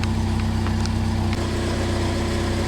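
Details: Son's Jeep Cherokee with an intermittent no-spark, no-start condition, idling for now after starting right up: steady, smooth low idle with no miss heard; stalls intermittently, cause not yet found.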